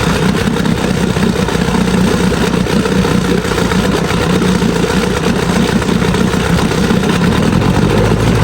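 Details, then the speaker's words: Evinrude Sport Twin two-stroke outboard after carburetor cleaning and new fuel lines: smooth, even buzz holding a steady idle, no misses or knocks, pumping water well. "I took the carb apart and cleaned it all up and hooked gas back up to this thing, and it runs like a dream."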